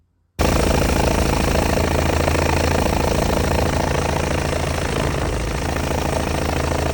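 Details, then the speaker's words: 2006 John Deere X720, 722 hours, Kawasaki V-twin, after 40–45 minutes mowing: loud uneven running, right cylinder keeps cutting out about three times a second despite plug, coil and injector swaps; heavy oil-cap blow-by, owner suspects rings, unconfirmed. "I was mowing yesterday for about 40 45 minutes everything was good and then it starts gradually missing and then continuously dropping that right cylinder out"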